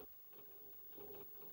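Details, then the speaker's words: Commodore PET 2001 8K built-in datasette rewinding a very long cassette tape: faint whir with wavering mid-pitched tone that labors, slows and surges near the end of rewind; drive motor struggling, can cause load errors. "I'm going to rewind and you can hear that this is struggling it is struggling it's getting there yeah it's really slowing down"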